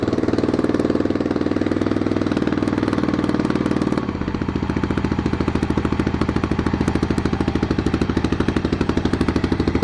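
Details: 1993 Yamaha XT 600 E (3TB) single-cylinder enduro that sat 6-12 years, after carburetor cleaning, choke on: loud sharp open-exhaust pops at an even beat, settling to a slower steady idle after four seconds; normal running.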